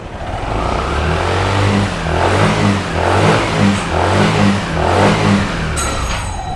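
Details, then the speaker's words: Yamaha Aerox SP/NMAX Techmax scooter, crankcase cover off, traction control off: engine revs up and down in bursts but belt stays put, CVT not shifting; failed YECVT primary sheave sensor and YECVT motor keep the pulley from opening. "Okay, papakita ko sa inyo na hindi siya nag-shift. Meaning, itong belt na to, hindi umaangat, hindi bumababa. Nakastay lang siya dyan."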